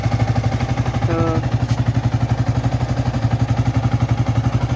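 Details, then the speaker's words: Yamaha R15 V3 after replacing the faulty internal engine chain tensioner that caused a tick-tick noise; self-started, idling in neutral. Small single thumps at about four beats a second with no ticking on top; clean, steady normal idle. "और आवाज खत्म इसको बोलते हैं tensioner क्या बोलते हैं chain tensioner जो इंजन के अंदर रहता है यही चीज खराब हुआ था और इसको चेंज करवा लिए हैं"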